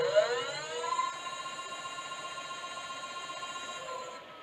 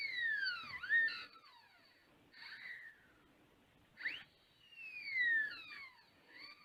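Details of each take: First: New 1000W 48V front hub motor e-bike conversion on Mk5 frame, first power-up with wheel spinning free: clean high whine rising briefly, then steady pitch before fading; normal healthy hub motor. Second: Whistling whine sweeping up and down in pitch as the wheel spins up and slows, from a newly fitted 1000W 48V front hub motor e-bike conversion kit on a Mk5 frame; owner hopes the noise settles down, cause unknown.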